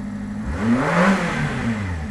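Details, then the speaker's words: 1991 Subaru Sambar Dias2 AWD supercharged fuel-injected kei van, warmed up, supercharger working near 4,000 rpm: smooth even rise and fall in engine note with no knocks or rattles; normal revving. "supercharge going just keep it about 4,000 RPM and uh the transmission sorts it out"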